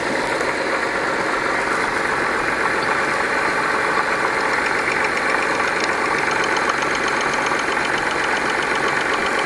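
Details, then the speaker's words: 1992 Acura Legend being diagnosed for misfire after a no-start; fast, crisp ticking over the idling engine as injector number two clicks normally; all injectors in the circuit test electrically good; the misfire was traced to a clogged injector. "injector number two is clicking and we just repeat these tests for the other injectors all right so all the injectors in the circuit are electrically good"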